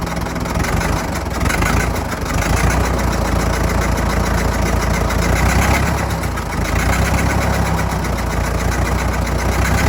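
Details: Fordson Major diesel tractor, sat 20 years, recently revived, temperature gauge not yet reading, oil pressure steady: chunky diesel clatter ticking over at a steady slow beat with no knocks or hunting; normal idle.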